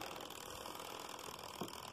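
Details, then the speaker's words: Hornby Class 47 model loco after commutator cleaning and pinion gear greasing: slow crawl with light ratcheting, dry whirr of gear mesh; owner thinks filing moulded writing off the gears will quieten it. "i greased the um the pinion gear while i was in there but i need to uh file off all the little writing on the see gears i can quiet it down"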